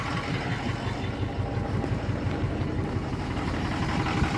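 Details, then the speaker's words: 2006 Ford 6.0 Power Stroke diesel after crank-no-start repair, burning off oil: low, lumpy idle with irregular missed pulses, misfiring on one or possibly two dead cylinders; blow-by checked at the oil cap, weird electrical issue suspected. "actually sounds a lot better but I know it ain't running right come on oh what the this thing's doing let's check for blow bye here let's see if we get this cap off oh yeah all right we got a dead hole possibly two dead holes"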